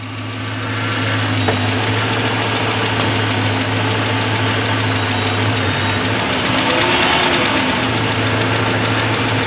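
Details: 2006 Dodge Magnum after 722.6 NAG1 transmission rebuild with valve body and shift kit, about a quart short of fluid, first start: steady idle with loose metallic rattle a few times a second from unbolted tailpipes hanging on rubber.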